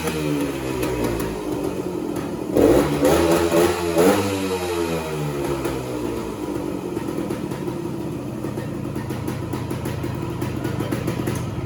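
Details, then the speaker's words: 1969 Yamaha AT1 Enduro two-stroke (500 original miles stated, 3500 in listing), carb cleaned and Autolube pump bled, kick-started: crisp buzz revving cleanly then settling to about 1500 rpm idle, near Yamaha spec, barely any smoke; healthy. "it usually settles into about a 1500 rpm idle which is about what yamaha specifies it should be at barely any spoon coming out of that"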